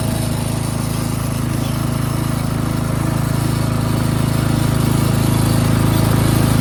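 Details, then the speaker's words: Craftsman 13.5HP 30-inch rear-engine riding mower, cutting grass: steady, even drone under load with no surging or sputter. Running properly while mowing. "Albeit this thing does run, start, drive, and it does mow."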